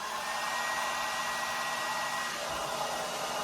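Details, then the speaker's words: Babyliss S144B hair dryer, PAT tested, plugged in to prove it works: steady even whoosh of air with faint constant motor whine, no rattles or catches; normal running. "It is pat tested, so we know it works, but just even more proof that it works."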